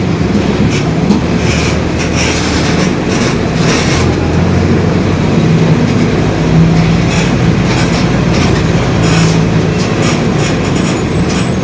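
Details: 2021 Marcopolo Torino S on Mercedes-Benz OF-1721 BlueTec 5 chassis, long city bus, rolling along: a deep steady growl under the road and drivetrain rumble, the differential growling.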